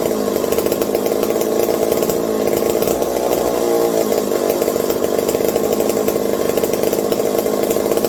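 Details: McCulloch 740 chainsaw after coil gap fix and swapped spark plug: steady crisp two-stroke buzz at even high rev, no misses; runs healthy. Owner hopes no air leaks; loose carb linkage wants to hold about quarter throttle and may run lean.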